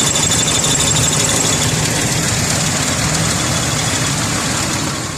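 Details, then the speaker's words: 2001 Ford Explorer 4.0L V6, idle after reseating plug leads and torquing left exhaust manifold bolts: steady idle, slightly uneven beat and hiss, no sharp manifold ticking or smoke so far; normal idle, manifold leak apparently fixed. "in fact all I did was make sure that the bolts were torqued and that they were tight and so far we're not getting any smoke"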